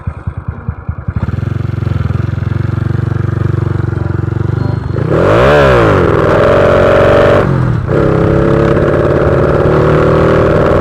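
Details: Honda Wave 125i fuel-injected motorcycle with a PCX150 part fitted and a recently changed fuel pump, revving unevenly and faltering under throttle; rich mixture hesitation on acceleration.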